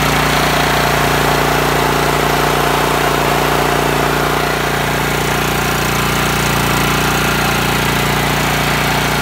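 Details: A Honda GX390 single-cylinder petrol engine idles normally and steadily with an even throb and no surging or hunting. This is after replacing a fuel-soaked, broken gasket on a machine that already had a new carburetor and spark plug.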